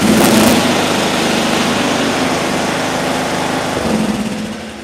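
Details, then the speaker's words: Mower engine in a coil air-gap test, coil-to-flywheel gap widened to 0.020 in: busy, even roar at steady high speed, then eases off; still running cleanly and sounds healthy. "Okay. So, it's still running pretty good at 20,000."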